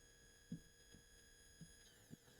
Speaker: You'll notice you hear the coils fire and then when the coils have come to the zero position on the DRRO, the motor is silent. And that's due to the SMCU silent mode.